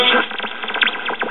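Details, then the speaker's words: 1969 GE solid-state AM clock radio after replacing drifted 1.5k converter emitter resistor: sharp whistles sweep up and down between stations as the dial moves; squealing caused by open 10 µF electrolytic capacitor in the AVC circuit. "hear all that squealing between stations"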